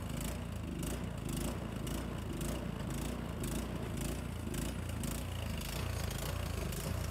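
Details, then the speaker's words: Craftsman snowblower given away free, started on choke after 3–5 primes: small engine chugs unevenly, about two surges a second, hunting and stumbling; runs rough, owner suspects it needs a carburetor clean. "Okay, well it just runs really poorly, so I think it does need a carburetor clean."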